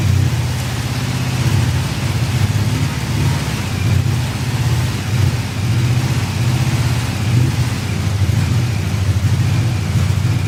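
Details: 1985 VW Cabrio off the road 17 years, running on roughly three-year-old fuel, jump-started: lumpy, uneven running, sound swelling and sagging every second or so as the engine struggles to stay running; it previously died under more throttle.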